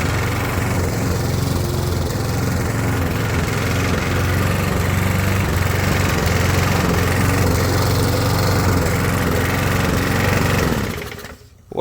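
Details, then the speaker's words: Briggs & Stratton push mower, 20-25 years old, under load after a new head gasket was fitted and tightened: uneven, stumbling beat with short dropouts, never reaching full rpm; still misfiring, though far more power than before. "I can still hear it missing. Uh, it is a 20 25 year old push mower. I don't feel that it's coming fully up to RPMs."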